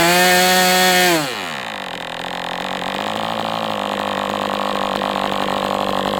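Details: MDS 68 FS Pro model engine on a break-in run, heavy exhaust smoke: high steady buzz, then smooth drop to a steady idle. Runs well, better than with the idle bar plug, once the carb was tuned.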